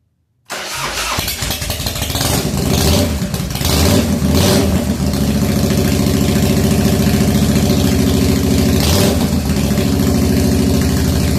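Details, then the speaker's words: 1997 Harley FXDWG, odometer 6,948 miles, first start after S&S carburetor repair and crankcase vent update kit: starter catches, twin fires with a couple of blips, then settles into an uneven, lumpy cold idle that still needs carb tuning. "okay so it's started think I will now uh play with it and try and get it the idle better cool"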